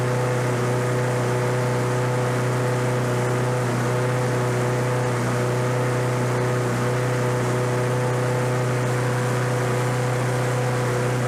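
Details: Roadside-discarded Lawn-Boy 21-inch self-propelled walk-behind mower, revived on fresh gas, low compression felt: steady single-cylinder drone holding one speed, no misses or stumbles; running normally.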